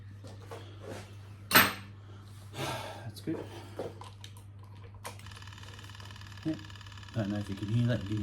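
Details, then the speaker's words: Yamaha YZF1000 Thunderace at ignition-on before its first start: a steady high-pitched whir starts partway through and holds evenly over a low room hum as the fuel pump primes normally. "the fuel pump running don't know if that supposed to go to wor that later"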